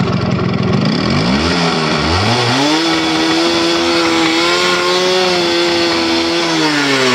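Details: Yamaha RX100 two-stroke motorcycle, first start after sitting over 10 years in very poor condition: revs climb in uneven stabs then hold a wavering high buzz, rough and unsettled. Wiring issues noted; cause not confirmed.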